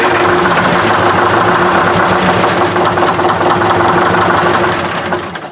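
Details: 1968 Kenworth W900A with non-turbo 8V71 two-stroke Detroit diesel, first start attempt in years after priming oil and fuel: steady starter whine with even chuffing about three beats a second that never picks up; cranks but won't fire.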